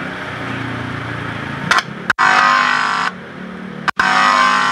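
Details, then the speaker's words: Crimson CR 1222D power mixer after driver-board repair, OCL driver with toroid transformer: buzz bursts start and stop sharply as each channel's input is touched, clean silence between; driver stage back to normal. "itu teman-teman artinya untuk mesin driver ini sudah normal kembali ya"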